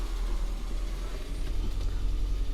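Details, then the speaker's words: Austin Metro after restoration service with slightly thicker oil: steady low even idle with only a faint light tap remaining and no squeal; oil pressure light gone off. "sounds nice now i stand up so you can hear it a little bit better still a tiny little bit of a tap but not a lot obviously the light's gone off"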